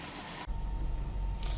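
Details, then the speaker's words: 2001 Toyota Prius 1.5L with P0171/P0174: low, lumpy idle that never settles; short-term fuel trim 19.5%, running very lean. "so we're looking at short term fuel trim we can see it's nineteen point five which means that it's running very lean"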